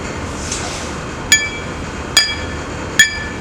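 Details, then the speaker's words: Light taps with a non-metallic object on a new bench grinder's abrasive wheel each give a clear, sustained, uninterrupted ring; wheel passes the ring test, no chips or cracks, fit to reinstall. "you should hear a nice clear uninterrupted sound that's good"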